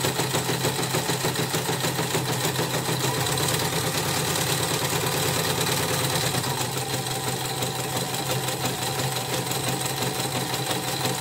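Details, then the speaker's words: Portable CNY embroidery machine after service, tested with a new hook part too: fast rhythmic clatter around three a second with a dry rough edge on every stitch; bobbin case/hook worn loose, possibly from being forced to turn while jammed. "Tapi ini sudah dites, sudah mulai ini, nanti saya cek lagi suaranya kasar. Ini saya pinjam sepatu yang baru, masih kasar juga. Memang sepatunya memang udah oblak"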